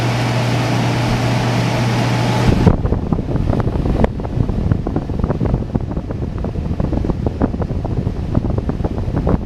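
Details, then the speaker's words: Old large 240-volt GE window air conditioner that smells when switched on: loud rushing fan roar over a steady low hum, then rattles and ticks as it winds down after switch-off; noisy running, cause unclear. "this one also doesn't work very well anymore it stinks when you turn it on so yeah but I'll turn it on and this thing is pretty noisy too"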